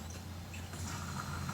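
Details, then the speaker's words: In-tank electric fuel pump on a car's restored tank, powered from a bench supply: faint steady hum with a light high whine and no stumbling, fuel flowing from the supply line, no leaks; the pump runs normally. "i get the light you can hear the pumps running i can hear fluid going and obviously the return is not doing anything right now and that's spitting out fuel so that's perfect"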